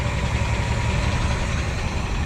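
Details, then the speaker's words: Ford F-350 with low-mileage engine, sat 5–7 years, throttle sticking: smooth, steady low rumble at idle with even beat, no knocking, ticking or smoke; running normally. "We're running. She runs smooth, folks. No knocking. For having not ran that long, she runs smooth."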